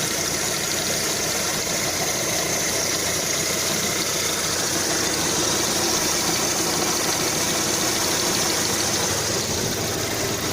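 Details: Lada Kalina 2 engine at hot idle, about 90°C, 12°C outside: fast uneven knocking over a busy hiss, louder under throttle, absent when cold; first suspected a hydraulic lifter, found to be the worn alternator belt, fixed by replacement.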